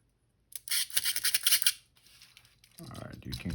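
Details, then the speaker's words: Canon A-1 camera with a shutter-release lockup, bottom cover and panel removed: mirror mechanism worked by hand gives a dry, scratchy, rapidly repeating squeal, which slows shutter speed and mirror movement; lubrication is planned. "clearly hear the mirror mechanism squealing here so that's a big issue it's going to slow down our shutter speed and mirror movement"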